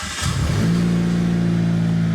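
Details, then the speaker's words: Mitsubishi Evo after ACT Mod Twin Disc 225 clutch install, replacing abnormally worn clutch that made loud noises: brief crank then smooth steady idle, no rattles or grinding with clutch pressed or released. Normal start and idle. "No noises. Whether I have the clutch pressed in or not, no weird noises."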